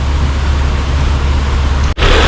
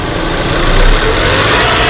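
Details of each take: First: 2018 Range Rover Evoque petrol engine after refitting the top cover with PCV valve, where air had been leaking, to cure a misfire: steady, even idle with no misfire stumble or hissing leak; scanner shows no cylinder misfire. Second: 2018 Range Rover Evoque petrol at idle runs uneven and lumpy with a brief surge, a misfire caused by air leaking at the PCV valve on the top cover; the PCV valve is to be replaced.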